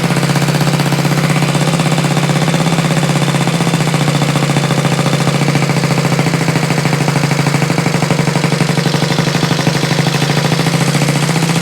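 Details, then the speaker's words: Rebuilt Honda Z50 mini trail single-cylinder on electric start, choke adjusted, no throttle cable connected, idle raised: fast, even putter with steady pulse, no knocks or misses; runs healthy after assembly from parts. "maybe a little bit more idle woohoo oh that sounds good woo that sounds good"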